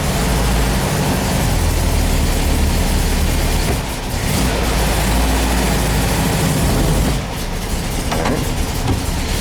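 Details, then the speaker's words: VW bus after transaxle reinstall, cold start, tried in third against the emergency brake after second held. Steady low engine drone under load with no clunk or rev flare; third stays engaged. "Good, didn't pop out a second. Kind of hard to do third with the emergency brake on, but."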